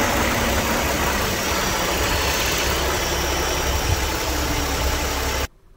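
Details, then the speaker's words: Cooling fans commanded through fan duty control with an XTOOL A30D bi-directional scan tool over a smooth idle: whooshing air rises in pitch as the duty cycle is bumped up, then eases off; fans respond normally. "okay you could hear those fans you know increase in speed as I I bumped up that duty cycle and they came back down"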